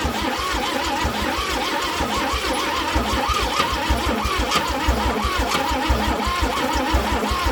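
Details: Chevrolet C10, suspected weak spark: steady starter churn, about two compression beats a second, under a wavering whine, with no firing; cranks but won't start, cause not confirmed.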